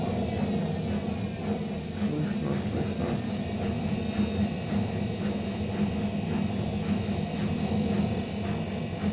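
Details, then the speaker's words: Hotpoint-Ariston washing machine ramping up to spin speed: a loud, steady train- or airplane-like roar with a rolling drone. Cause not yet found. "Начинает набирать обороты, как поезд, да? И быстро, быстро, когда я прям, и вся она вот так вот. Как поезд, как самолет такой звук, да?"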